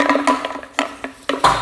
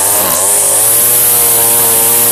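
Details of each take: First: Weed Eater string trimmer fuel tank, empty and shaken by hand: hollow, irregular knocks as the fuel pickup rattles loose on the tank bottom, its rotted fuel line broken off flush so no fuel is picked up. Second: Two-stroke weed eater string trimmer after fuel line replacement. Loud, buzzy, steady high revs with a couple of brief dips and recoveries; normal running.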